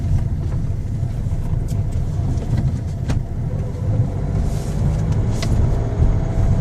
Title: Ruido raro en el motor